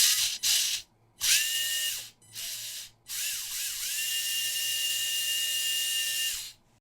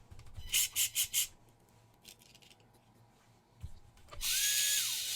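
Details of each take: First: WLToys K969 1/28 RC car, small brushed motor sparking brightly, not getting hot, oil from bearings suspected on contacts, before cleaning: high steady whine rising and falling in bursts with rough fizzy edge; brushed motor arcing from dirty, oily contacts. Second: WLToys K969 1/28 RC car converted to RWD, after cleaning brushed motor: short bursts then clean high whine, holds, winds down smoothly, no longer sparking or smoking like crazy; normal running after repair.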